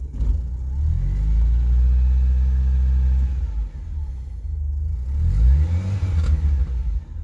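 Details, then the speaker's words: 1979 Honda Civic 1200, original, warm after about a mile's drive, possibly due for tune-up with suspected bad plug or wire: two throttle blips give coarse, throaty blare from tailpipe louder than stock; worn muffler. "that muffler that's not most healthy of shape of course"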